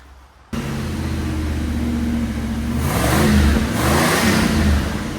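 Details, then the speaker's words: Restored 9C1 car after new exhaust install, clamped and lowered: engine fires and settles into steady, deep, even burble with a throttle blip; much nicer, healthy idle. "like oh so much nicer looks pretty good tucked up under there"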